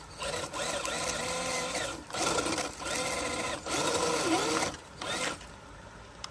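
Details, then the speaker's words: FMS FCX10 1/10 K5 Blazer RC crawler stuck in a bad spot on a climb: bursts of thin electric whine sagging in pitch as it bogs; the slipper clutch whines, slipping under load. "now up here I did kind of hear the slipper whine a little bit I got it in a really really bad spot up here"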